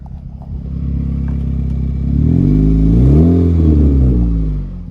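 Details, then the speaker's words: 2013 Honda Fit at about 183,000 miles, cold start: loud, raspy, blatty exhaust roar swelling with revs, which quiets once warm; exhaust leak at the catalytic converter-to-resonator pipe joint, before gasket replacement. "sounds like a race car but it quiets down after you drive it for a while as you can see here it's quite loud pretty good exhaust leak"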